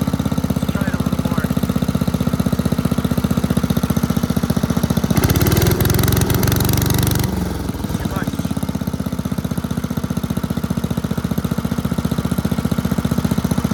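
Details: 1984 MTD Air Sweeper (model 245-692-000), 36 years old, flathead Briggs & Stratton 5 hp (engine model 130212-1731-01): steady, regular putting with a brief smooth rev mid-clip, no misses or knocks; running healthy.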